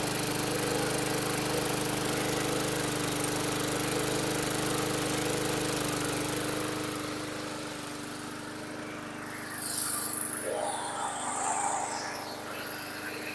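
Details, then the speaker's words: 2010 Yard Machines 22" push mower (MTD 11A-084E029), rusty, running after fitting an aftermarket carburetor and a rebuilt tank: a steady, even single-cylinder putter at constant speed, easing off slightly. Running cleanly. "so that worked out well I hope you could hear it running so totally psych that this piece of junk started with the aftermarket carb rebuilt tank"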